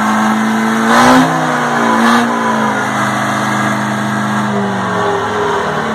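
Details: 1960 Detroit 4-71 two-stroke diesel, ex-generator engine said to have only test hours: runs strong and even, two brief rev blips then a steady, smooth drone with no knocks; owner notes a little smoke at low rpm.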